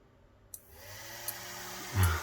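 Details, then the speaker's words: Small fan motor switched by an Elegoo Arduino kit relay after the fan was lifted off the desk, where friction had stopped it: faint steady whirr, spinning freely with no scraping; fully working. "this mode is actually powerful man it's putting a nice breeze backwards okay so here they go so that that's it fully working"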